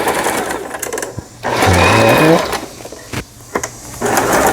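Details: Lion Mising JS1004 sewing machine, about 20 years old and heavily used, after repair of a loosened upper shaft worm in the gearbox; short bursts of smooth, even stitching whose pitch rises with speed, no knocking; normal sewing.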